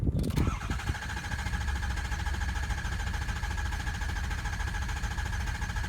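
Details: 2004 Ford F250 6.0 diesel, hot: steady even cranking drone with faint whine for several seconds without firing, a hot crank no-start.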